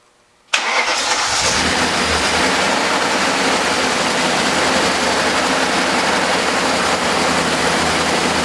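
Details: BMW with freshly rebuilt S62 V8, first start after a fuel line leak: engine catches and settles into a steady idle with a light, fast ticking on top; suspected lifter noise.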